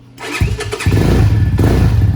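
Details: Venom X22R 250cc motorcycle, first-ever start with new battery, cold on choke after throttle rotated about 10 times: brief starter whir, then fires at once and settles into an even, steady idle; clean, healthy cold start.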